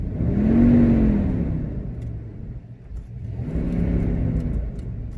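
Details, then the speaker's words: 2004 or 2006 Dodge Durango at 201,565 miles: engine fires up and settles into a smooth, quiet, even run with a soft rev swell and no knocks or ticks; normal running despite ABS and engine warning lights. "definitely sounds a lot smoother than my engine at this point so kudos to that"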